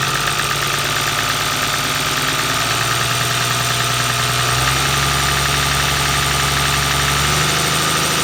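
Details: Toyota 1HD-FT diesel at steady idle: a fast, uneven metallic rattle, roughly three a second, over the diesel clatter; timing gear or injection pump suspected, not confirmed.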